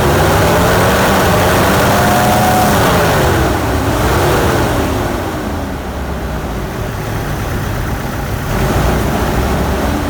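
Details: GMC 2.8L four-cylinder truck engine at idle: uneven, lopsided, stumbling beat with a hollow gap in the rhythm. Cylinder 3 misfires from an ignition coil broken during a timing chain repair, with no scan codes, then it fires on all cylinders.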